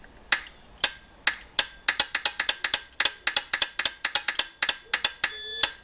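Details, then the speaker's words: Aprilia Caponord starter solenoid tested on the bench, powered by a CTEK MXS7 charger while checking continuity across its posts; sharp dry clicks at inconsistent spacing; faulty starter solenoid. "There you go. You hear that? And it's inconsistent. So that my friends is buggered."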